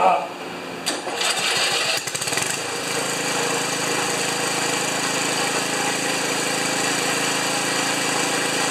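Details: Ariens 2+2 snowblower that stalled after running a while, after coil replacement: a few catches, then starts and runs with steady, even buzz without sputter; small engine running properly.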